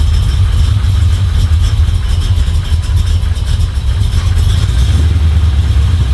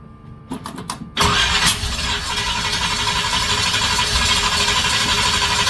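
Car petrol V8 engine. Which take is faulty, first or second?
second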